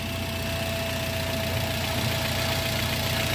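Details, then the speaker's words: 2013 Toyota Avanza 1300cc, complaint of front-end noise: idling engine with steady droning hum and rough growl, traced to a worn alternator bearing. "Oh ya ini sudah terdengar bunyi mesinnya"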